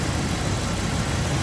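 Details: 1997 Dodge Dakota 5.2L V8 idling steadily with no misses just before stalling; bad crank sensor causes stalls when shifted into gear or at stop lights once warmed up after about 15 minutes, crank signal dropping out when the harness is tugged.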